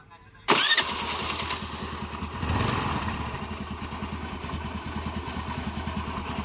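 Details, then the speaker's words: Scooty scooter with a no-start, starting after a spark test with a temporary short wire fed to the coil wire, the proper wire still to be fitted: cranks, catches at once, then settles to a steady, even idle putter; starts and runs normally. "Guys അപ്പൊ start ആയിട്ടുണ്ട്"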